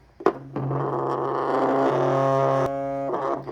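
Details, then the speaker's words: Removed LED headlight bulb from a 2012 Chevy Volt, plugged in and held: steady low buzz with faint whine, strong vibration from the little cooling fan motor; fan vibration buzz. "so this is the one that i pulled out that was vibrating making much noise it might not sound like a lot listen hear that it's got a little wine in it but here's why it's noisy"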